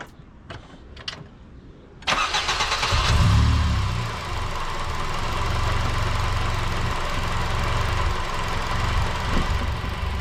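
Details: Honda K-series engine with Jackson Racing supercharger, just after supercharger oil change: catches at once, flares briefly, then settles to steady even idle without whine, rattle or misfire; normal start and idle.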